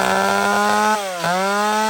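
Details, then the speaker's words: Chainsaw (a Max) revved flat out sounds thin and high-pitched, rising and dipping sharply with no burble; it is running too lean, which can blow the engine, and the mixture needs fattening. "okay that's too lean that's too lean friends this is how guys blow their Max up or any saw fatten it back"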